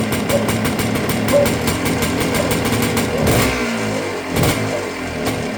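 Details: 1980 KDX 250 A1 two-stroke, first start after full restoration, long stored, run on strong two-stroke oil with a puff of smoke. Starts easily; crisp crackle with quick rev blips returning cleanly; healthy.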